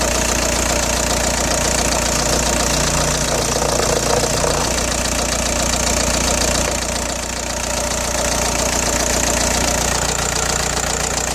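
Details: Audi A4 B6 1.9 TDI AWX diesel at idle with a steady metallic rattle about three times a second, started after replacing injector O-rings and copper washers; cold-start smoke gone but engine seems to have lost power.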